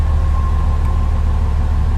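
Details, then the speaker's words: 1993 Chevy Caprice V8 after a chip was installed and timing was set to 6° BTDC from 0: fires right up where it used to crank long, with a smooth even idle, no hesitation or stalling; service engine light came on. "sounds like she runs good no hesitation no stalling no rough idle but fires right up now my goodness that's new typically it cranks for a while"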